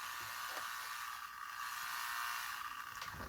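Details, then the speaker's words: LM386 signal tracer (electronics stethoscope) with bench lamp off: steady thin buzz around 1 kHz with faint ticks, interference picked up from the signal generator's power supply. "Esse ruído que ele tá captando agora. É ruído da fonte do gerador."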